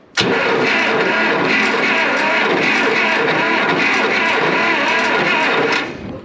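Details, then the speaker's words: IH 806 LP tractor, parked 40 years, cranking with plugs in before fuel is turned on (cylinder three had a broken-off plug, coil wire poor): the starter turns at about three beats a second with uneven compression pulses; a weak or tight cylinder is suspected. "definitely got a cylinder or two there that might be a little down on compression or high on compression or one or the other"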